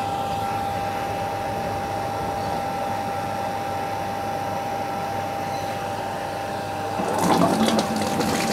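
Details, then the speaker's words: Water pump with check valve: even motor hum and steady whine while water rises slowly during priming, then a gush as flow arrives; normal priming. "perhatikan proses memancing ya air naik pelan-pelan seperti ini ini namanya proses priming atau memancing ya"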